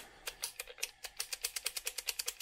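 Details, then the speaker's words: Alaron HR-407 1960s reel-to-reel tape recorder under repair: sharp crackling pops about six per second through the small speaker, no hum; dirty playback/record switch contacts, to be cleaned with contact spray. "okay there-there scratchiness is going on there let's get the playback and record itch spray"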